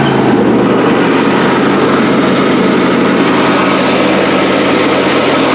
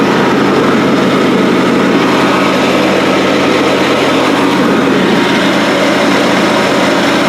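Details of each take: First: John Deere D130 mower deck engaged: a steady loud hum under the engine with a rough gravelly rattle across the top that never lets up; worn deck spindle and pulley bearings. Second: John Deere D130 mower deck after replacing the noisy worn pulleys and spindles: steady even engine drone with the blades turning, no grinding or bearing rumble; the deck sounds healthy.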